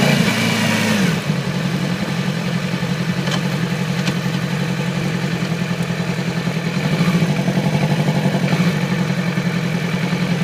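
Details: 2008 Yamaha R6 inline-four: irregular lumpy idle skipping now and then, appeared overnight, little power at low rpm and sluggish at high rpm/freeway speeds. Cylinder misfire from faulty ignition coil; replacement fixed it immediately.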